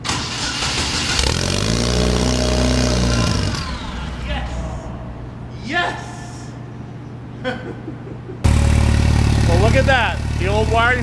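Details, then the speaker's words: Car after refitting the old wiring harness: starter cranks, engine catches and runs with a steady low beat before revving briefly, then dies for being nearly out of fuel; starts and runs normally. "it fires up in a run it was just out of fuel started up and had enough it had enough just to get the fire and then I need to put more fuel"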